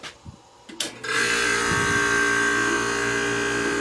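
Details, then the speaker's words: Early-1960s Philco Noiseless air conditioner switched to cool after rewiring: a few clicks, then the compressor starts and settles into a steady even hum with faint high tone; runs fine, first long run in likely over 20 years. "starts right up runs fine so that's got to be the correct wiring"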